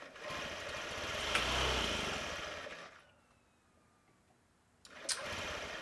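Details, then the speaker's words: Old 50cc Honda Metropolitan scooter, started on a jumper box after fresh fuel and fuel-pump check: engine buzzes up briefly, sags and dies, catches again, won't hold idle; has spark and air, owner suspects fuel delivery. "So at least it starts up a little bit, but it doesn't stay running."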